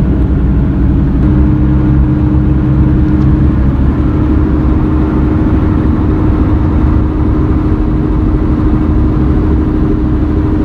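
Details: Car cruising: constant droning roar with a steady hum, no clicking or grinding; sound remained after replacing the front left wheel bearing and was traced to a defective tire with a soft spot.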